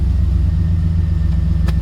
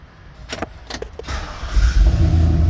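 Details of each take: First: 2003 Chevrolet Silverado 2500HD pickup that cranked but would not start, now fixed after wiring connections were made and taped; engine catches and settles into a smooth, even low rumble with no misses or knocks, running normally; fuel gauge working again. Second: 2003 Chevrolet Silverado 2500HD that cranked but would not start, run on brake parts cleaner sprayed through the throttle body: fires and settles to a steady idle, proving spark is present and pointing to a fuel delivery fault (pump not powered, pump bad, or injector).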